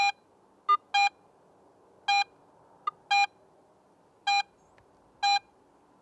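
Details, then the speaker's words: Garrett AT Pro metal detector in pro audio mode swept over a silver coin: crisp bell-like beeps, louder at shallow depth and fainter deeper, normal proportional target response. "and sounds fainter at deeper depths this proportional signal strength helps the more experienced user understand more about the target's size depth and even its shape"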